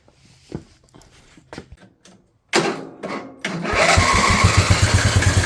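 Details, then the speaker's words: Craftsman LT1000 riding mower/tractor started after fitting a different-style fuel solenoid with a new crush washer on the carb; a few clatters, then it cranks, catches and settles into a steady, even beat with no misses. "All right, I put a new crush washer on this fuel solenoid and I put a fuel solenoid on. So, let's see how it runs."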